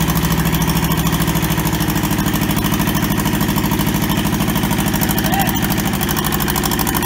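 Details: Toyota SDK4 skid steer diesel, restoration project, after first successful start; even regular clatter at steady idle, about two and a half firing pulses a second; running properly.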